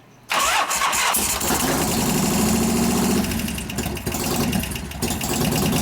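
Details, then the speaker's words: 1988 Harley-Davidson FXR during a lifter-noise repair with pushrod adjustment and cam change, started with one valve held about half off its seat: loud, lumpy idle with quick, light ticking on top; lifter tick at idle. "Might be hard to start with a valve half off the seat, but we'll see. How much noise this thing makes."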